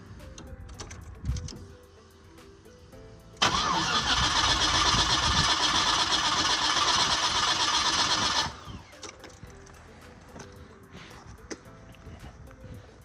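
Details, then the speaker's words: Car that starts in the morning then won't, key cycled 3-4 times before cranking: about five seconds of even cranking at roughly four beats a second with no catch. Owner suspects a weak fuel pump, not yet checked. "See? It's not, motherfucker not starting at all. It's a weak fuse pump."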